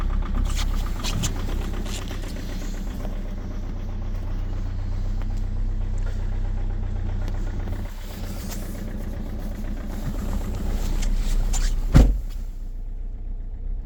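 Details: 2.0 HDi diesel with the EGR off, cold-started at -8°C: a loud, hard knock about three times a second rides over the low idle rumble. The cause has not yet been pinned down.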